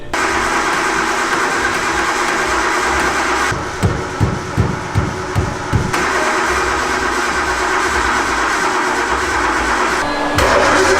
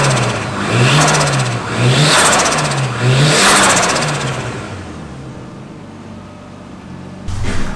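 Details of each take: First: Freshly painted car, possibly left out in rain with suspected electrical damage: about nine slow even cranking pulses, engine never catches; cranks but won't start, noid light later did not flash, power not yet tested. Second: After fixing no-start by running new powered wire to fuel-injector relay: three clean rev blips rise and fall smoothly, engine settles without stumbling, healthy.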